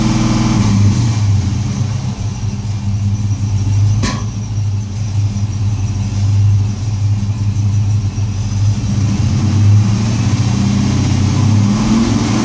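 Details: LS1 V8 revving up and settling back with an uneven, stumbling beat instead of a smooth burble; one or more cylinders misfiring.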